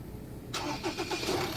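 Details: Ford Ranger 2.2 diesel with a former crank-no-start, fixed after reconnecting the diesel line and topping up coolant (the found cause; another shop had blamed the pressure pump): starts cleanly and settles into a steady, even idle.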